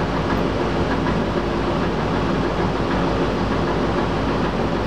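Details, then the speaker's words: Old squirrel-cage blower running just after a worn belt was replaced; the new belt may be slightly too tight. Steady, even rush of air with no squeal and only a faint light rattle, quieter and softer than before. Normal running. "as you can hear it's a lot quieter a little bit of rattle to the blower it's softer it ain't bad"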